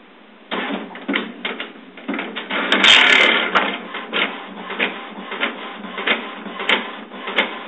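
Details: HP printer making strange noises: irregular bursts of clatter and clunks with a brief whirr mid-cycle, an unidentified mechanical fault.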